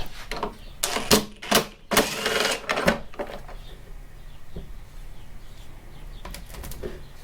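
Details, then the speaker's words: Toro Recycler 22-inch Personal Pace mower with no self-propel, wheel spun by hand on bench: loose uneven clicking a couple times a second as wheel turns; drive wheel suspected worn, needs new wheels. "and the first side um yeah it doesn't sound good at all i think we might have found the culprit"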